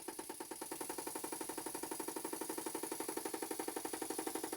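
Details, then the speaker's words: Stuart Models No. 10V model steam engine, non-runner, on air test after slide valve reset: sharp, even knocking about four times a second like a pneumatic drill, from the flywheel loose on the crankshaft; slot-head grub screw to be tightened. "I can feel that the flywheel is loose on the crankshaft and that would explain why the engine is making a loud knocking sound"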